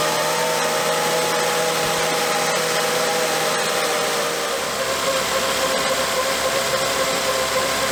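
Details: 2006 Volvo S80 T6 B6294T 2.9L on initial start after timing belt, tensioner and water pump replacement: steady whining howl over a rough idle from the timing cover; owner suspects the belt or tensioner isn't aligned.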